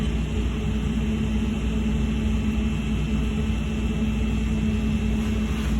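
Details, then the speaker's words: Marvair wall-mount four-ton AC unit after the faulty CoolLinks control board was replaced: it fires up and runs with a steady, even low hum and faint constant whine, no knocks or rattles; normal running. "okay ah see swapped it when i did it like that this unit just fired up"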